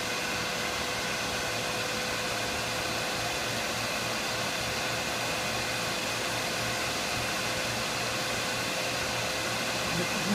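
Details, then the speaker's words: Centrifugal pump driven by a 5 HP VFD on 460 V holding about 20 psi via pressure transducer, discharge valve opened from deadhead so drive speeds up: steady even rush of flow with constant hum, no surging or rattles; normal running. "as the pressure drops you can see that the vfd is starting to speed up and trying to accom that pressure"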